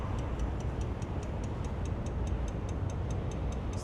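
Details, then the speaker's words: 2006 Dodge RAM 3500 with 5.9 diesel, key on, relay reconnected: fast, even ticking about five per second over a low hum; relay chatter from loose fuse box connections. "you can hook the relay back up. When I do, it's just ticking. The relay's clicking."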